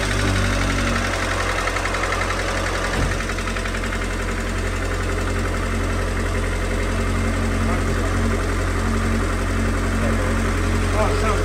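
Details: Abarth 595 after an oil change: small petrol engine idles steadily with a quick, fairly regular knocking tap through the low rumble; engine knock, cause suspected, not confirmed.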